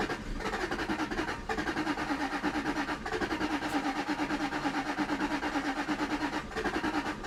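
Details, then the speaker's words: 2001 Jaguar XK8 coupe with AJ27 engine, not run in ten years, likely flooded, fuel pump relay removed so no fuel delivery: starter cranks steadily at about three pulses per second with no firing; cranks but won't start. "That was no fuel pump again."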